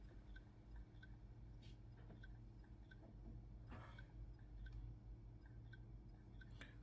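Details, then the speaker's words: Asus X505z laptop whose BIOS shows no hard drive, recorded near the underside where the mechanical hard drive sits: faint light ticks about one or two a second over room hum, classic clicking of a failing hard drive. "you hear that clicking? That clicking is classic signs of hard drive failure."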